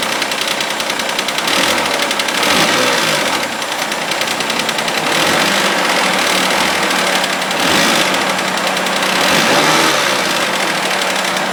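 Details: Mitsubishi Eclipse just after cold start, idle then revved: light metallic tick about three a second, quickening with revs; suspected lifter or hydraulic tensioner clatter, unconfirmed, noise sometimes goes away.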